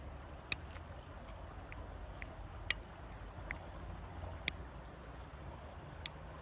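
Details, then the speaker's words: Bicycle seatpost making sharp, dry clicking and creaking about every two seconds over a low rumble, especially when the post flexes; caused by dirt in the seat tube and fixed by removing and cleaning the post. "abone ol bu ses Bu sese benziyor arkadaşlar çıtırtı sesi Tıkırtı sesi bu"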